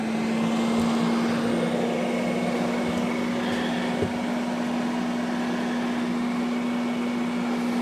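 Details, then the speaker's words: Newly installed Fantastic Fan roof vent fan on a 4x4 pop-up truck camper, running at full speed after replacing the old vent; smooth steady hum, constant mid tone, soft airflow rush, no rattle, noticeably quiet; normal fan operation. "And when I installed it right away, I noticed that the noise level on this was very low compared to the one that I saw."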